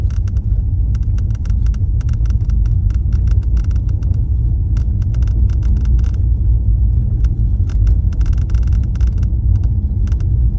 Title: Mercedes-Benz S63 AMG Vorderachse und Armaturenbrett klappert